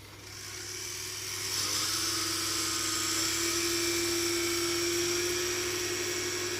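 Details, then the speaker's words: Cheap knock-off hand dryer's brushed vacuum-cleaner-type motor, dated December 2021, with a brush stuck in its holder, run on a variac: high thin whine climbing and settling with a raspy edge, drawing heavy current; commutator bars suspected bad. "oh that sounds horrendous that sounds bad that's drawing some current that the very act hates that oh that is not good this is shot I think some combar are gone bad"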